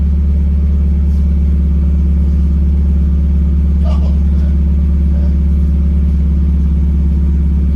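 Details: Miata drift car on a neighborhood drive after a new muffler was fitted. The exhaust is a deep, steady drone with no rattle or tinny buzz, much better than before.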